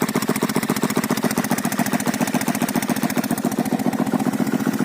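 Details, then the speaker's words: Delta 125 moped after no-compression no-start repair, engine found nearly dry and refilled with about 700 g oil, new spark plug, cut-off aftermarket exhaust; crisp even single-cylinder idle, revs not hunting; normal stable idle. "Ну отак у мопитка робить стабільно. Обороти не плавають. В принципі нормально."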